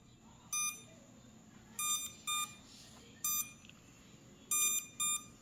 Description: Can anyone please help me figure out why my F31 drone blades are not spinning? It just keeps beeping. Thank you in advance.